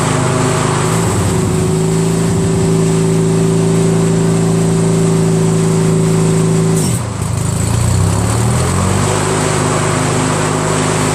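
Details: Craftsman DYT4000 with a 14hp Briggs opposed twin repower, 3-blade deck engaged via electric PTO with tension back on. Smooth steady hum, brief dip and recovery as the blades pick up load, then even again. Healthy. Owner suspects dry spindles and stiff belts caused the earlier failure.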